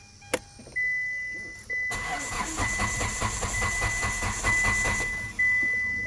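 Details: Car with transponder key issue, immobiliser light flashing: warning chime on and off while starter churns steadily a few seconds without catching; cranks but won't start, immobiliser suspected.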